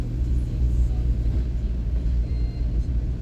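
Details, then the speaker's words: Volvo V40 on road test after repair of a noise the owner noticed mainly when cold, dual-mass flywheel play suspected: even low road rumble under load, no knocking, rattling or clunking; normal drive. "fizemos aqui a prova de estrada o carro está a cinco estrelas na do barulho impecável impecável"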